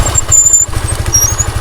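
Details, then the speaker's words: Motorcycle front disc brake applied while riding: thin high-pitched squeal over the low engine thump; disc brake squeal from the disc brake area. "இப்போ பார்த்தீங்கன்னா கீச்சுன்னு சவுண்ட் வருது. இதை நம்ம எப்படி சரி பண்ணலாம்னு சொல்லி நாம இப்போ பார்த்துக்கலாம்."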